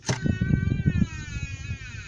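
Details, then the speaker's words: 2002 Ford Ranger serpentine-belt-driven water pump spun by hand with the belt off: thin whirring whine slowly falling as it coasts down, spinning too freely; worn bearing, pump on the verge of failing. "I know you can hear that on top of that the fact that it's freely spinning like that that tells me that's a bad water pump now that's a water pump that's on the verge of going out"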